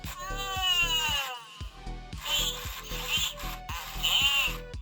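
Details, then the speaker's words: 1990s Furby with a coil missing in the battery bay, powered directly from a 6 V bench supply: chirpy warbling voice over a steady patter of small gear ticks. Motor runs, eyes move and sound works normally. "So this one seems to be working quite well, doesn't it? So it's motoring, its eyes are moving, we've got sound."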